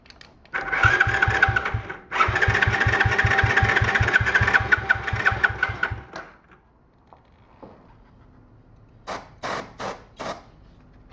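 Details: Small free ATV, after refitting and tightening the plug wire and plug, with starting fluid added: starter churns at about five beats a second, never catches.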